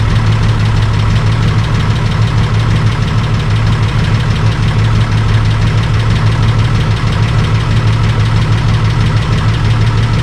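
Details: Holden VL Calais Turbo after bigger turbo upgrade and different exhaust and muffler, first start after the work; deep lumpy idle with throaty exhaust burble, even, no knocks or rattles, normal idle.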